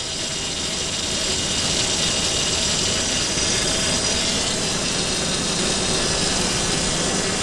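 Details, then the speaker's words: 2002 Ford Explorer at first start after a timing chain job, idling: steady high-pitched power steering pump whine. Air bubbles remain with an unbled rack; the noise fades as the steering is turned. "to read where the fluid is but the noise is going away got air bubbles in her let me try to move the steering a little bit but the noise is going away"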